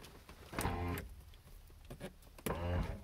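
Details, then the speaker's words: Abandoned 1985 Mercedes 300CD, engine not starting, suspected failed glow plugs: two half-second bursts of steady electric hum as a front power window motor works; the rear windows do nothing, possibly from mouse damage. "they do work but i've got all the painters tape on there so it fights the front windows work but the rear ones do nothing"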